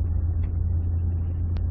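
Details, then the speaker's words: 2010 Ford F-150 with 6R80 six-speed automatic, after the torque converter was manually unlocked to cure a surge: cruising past 25 mph in higher gears, a steady low engine and road drone with no surging or pulsing, smooth as can be. "so you're going fast enough where it would normally lock up getting those higher gears you're past 25 miles an hour and it's just smooth as can be"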